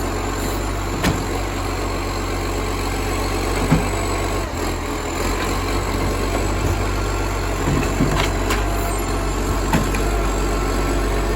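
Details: Spare garbage truck FN11487, 22m flat-faced Acco cab diesel, recorded from exhaust side early morning: loud deep steady idle with coarse blatting roar and sharp puffs from a massive exhaust leak.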